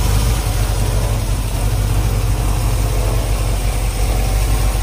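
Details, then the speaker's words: 1968 Suburban with an LS swap after fixing a loose ground, replacing the wiring harness and replacing the cam sensor: it starts easily into a deep, steady V8 idle with an even low rumble and no misses or knocks; normal idle. "you can see just how easily it is to start it up after we change the cam [Music] sensor"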